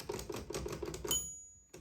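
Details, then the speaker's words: Late pre-serial-reset Optima Elite typewriter with faulty silent spring: rapid typing clatter, then one clear bright ding that rings and fades cleanly; margin bell working normally. "but there we can hear that the Bell is working as it's supposed to"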